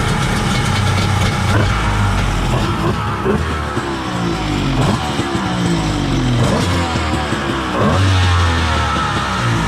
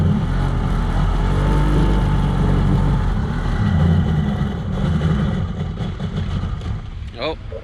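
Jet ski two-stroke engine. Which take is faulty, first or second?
second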